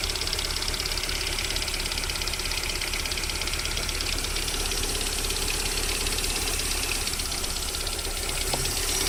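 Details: VAZ 21127 engine idling during warm-up: busy, uneven ticking knock roughly three per second over a steady idle; unexplained knock lasting until about 40 °C, then it goes away.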